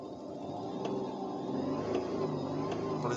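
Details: Alfa Romeo 156 Busso V6 revving gently on its first start after about three years, fuel system bled and firing on all six cylinders, temperature rising to 70 degrees; smooth, even note with no knocks or rattles, healthy warm-up.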